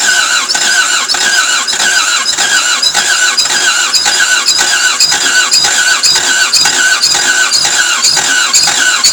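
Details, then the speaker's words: Toyota MR2 AW11 after injectors and distributor were cleaned, fresh 91 premium ethanol-free fuel, distributor turned fully (probably advanced): rhythmic starter churn with harsh squealing bursts twice a second, fires roughly but won't start; cause unconfirmed. "that is an angry engine if you've ever heard what am i right"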